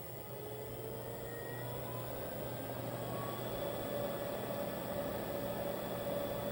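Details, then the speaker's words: 2020 NordicTrack 1750 Commercial treadmill, drive motor run alone: smooth, steady hum with a faint whine and no droning. The motor is healthy; the loud drone is blamed on the roller bearings. "so here's slow speed don't hear nothing there now let's crank it up to three nothing it would have made noise already"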